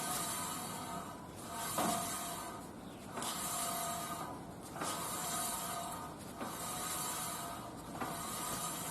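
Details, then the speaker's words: Car lifted, in neutral, front wheel turned by hand after recent wheel bearing replacement: rhythmic scraping swish once per turn, noise on road rising with speed, not the bearing; right side is silent. "后面我在路上跑，就听到这个轮子下面靠这边就有这个异响声，速度越快也声音越大，但不是轮胎轴承的声音了，是另外一个响声。"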